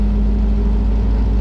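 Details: Air-cooled VW flat-four in a Baja with a new Empi custom wiring harness and stock 1969 Beetle ignition switch, first start after wiring, at idle: short, loud, even drone with no ticking or misses. Running over 12 volts, alternator charging, oil pressure verified; tach reading unclear.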